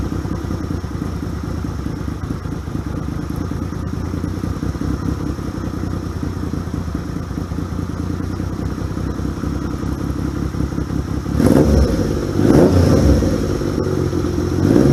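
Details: 1978 Yamaha XS750 Special, first start after a 3-week revival, cold on choke: steady, even idle with a clean low thump, then a few crisp throttle blips near the end; normal running.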